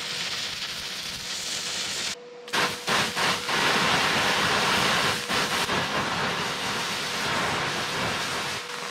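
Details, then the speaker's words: Stick welding onto rusty metal with a Vevor MIG-250 multiprocess welder: a few stutters as the arc is hard to strike, then an even, sustained crackling sizzle. Stick arc running normally. "Keevitab küll hästi rooste peale.... algus on veits raske, aga kui saab põlema siis läheb edasi juba jooksvalt"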